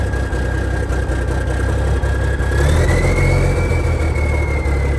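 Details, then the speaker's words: 1987 cabover diesel truck, first cold start in years on new batteries: steady low rumble with an even beat, and a light rev raises a whistle. Oil pressure is about 40. Normal idle. "Man, that motor sounds pretty good. That thing sounds amazing."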